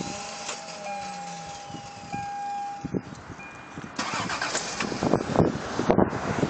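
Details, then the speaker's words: 1990 Toyota Cressida starting attempt: a high, steady drill-like whir with no engine firing, then the engine cranks and catches on the second try. The starter seems to spin without engaging; owner suspects a failing starter or worn flexplate teeth. "goes it caught the second time but as you could hear the first time it made a spinning noise kind of like like a drill so I'm thinking it's either stars going out or the teeth on the flexplate"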